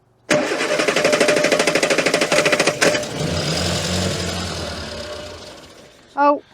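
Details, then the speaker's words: Morris Minor unused for nine years since 2013, with battery missing and fuel line disconnected, started by arcing across the terminals: it cranks, catches, then runs unevenly with a lumpy, hunting beat and struggles to idle; rough running. "oh yeah I was struggling to get her to run nicely but she's definitely running"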